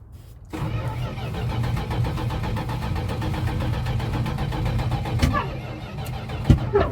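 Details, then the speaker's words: Junkyard 1973 Chrysler Newport 400 V8 started with the choke open while spraying starter fluid. Low cranking churn, then a single sharp pop, a backfire while cranking, which is said to just be ignition from the spray. "oh whoa oh you good when I when it did that poof night at the fast yeah that's uh what it mean no it just means it's igniting like it it does like when you do starts like this that does happen sometimes"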